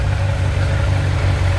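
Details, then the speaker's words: Kawasaki ZZR 1100 inline-four after two months of crash repairs, new exhaust system fitted, coolant refilled: deep, even, steady idle pulse with no knocks or rattles, settling smoothly; healthy idle, previously sounded god-awful. "I am one super happy chap. Oh, until you get that sound, the bike's not alive."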